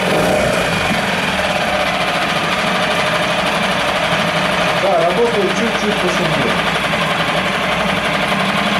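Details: New CG Marine 4-stroke 6hp outboard on its first start after unboxing. Steady, fast, even idle with a slightly rattly, busy mechanical note and no knocks or misses. Normal running.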